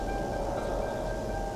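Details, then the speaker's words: Car parked in a parking lot with the headlights left on: a steady, high chiming tone over a quiet hush, the headlights-on warning. "And see, the one thing is, you hear that beeping? See, as annoying and as just fucking terrible as that is, I'm gonna leave it on because you wanna have your lights on."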